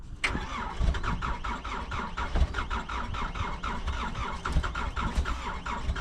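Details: Takeuchi TL26 tracked skid steer, bought for repair of its drive motor and leaking cylinders: the diesel starts promptly, as it does every time, and settles into an even, steady chug with regular firing knocks. A clean, healthy start.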